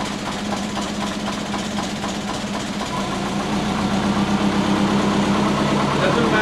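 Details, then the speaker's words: Big-turbo Subaru Forester with loud exhaust, warming up during idle tuning: low, lumpy idle with an uneven beat that hunts around 750–500 rpm, is hard to start and nearly stalls. Idle control is ignition-only, with base ignition timing set too low. "I'm struggling, I'm looking at fuel, like what's going on, how come I keep going so low and it's like not wanting to start, and it's lumpy, and it's like sitting around 750, 500. It sounds mean, it sounds like it's going to stall, and then I go to idle control."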